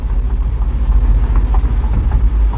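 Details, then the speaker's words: 2013 BMW X3 test drive after control arm and strut replacement, passenger sway bar link tightened and rusty speed sensor at wheel bearing addressed: even low road rumble, no clunks or knocks over bumps, noise gone, steering straight, driving perfectly. "We are fixed. Car driving perfectly."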